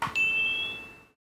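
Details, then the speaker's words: DIY alarm controller in test mode, fire alarm/smoke detector test after reconnecting a loose wire: one clean, bright ding fading over about a second, the pass signal showing the circuitry works; no pass sound would mean a fault. "If you hear the test has passed, that means the circuitry is working. If you don't hear the test pass, something's wrong."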